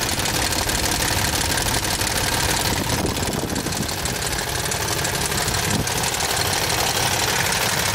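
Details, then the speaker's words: 2007 Toyota Tundra 5.7L 3UR-FE V8 with 205,000 miles on a cold start, fast even metallic ticking about three per second over a rough idle from bank 1 only; happens only sometimes and fades as it warms; failed hydraulic tensioner suspected. "here we have fridays in second rare opportunity to hear the clicking knocking from this 2007 tundra 205 thousand miles you always ask for that and on the cold startups and only sometimes this side of engine is making this noise listen to"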